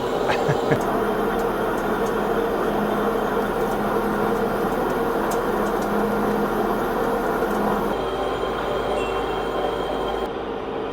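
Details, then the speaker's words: 200kg shop-made boring bar from a railway axle on the 11-ton Megabore lathe, boring large hollow 4140 bar: steady even cutting drone, constant low hum, no chatter or squeal; normal boring cut. "cutting beautifully now. So the one thing you'll see me often with just a hand on here feeling for vibration."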